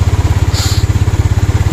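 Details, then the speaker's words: Yamaha Mio Sporty scooter, single cylinder, rebuilt with a 54mm touring set and ported intake, at idle after a higher-compression setup that ran hot and knocked was swapped out: even steady thump, no knock or tick, noise gone. "Yan, mas panatag na ako dito ngayon. Wala nang ingay oh."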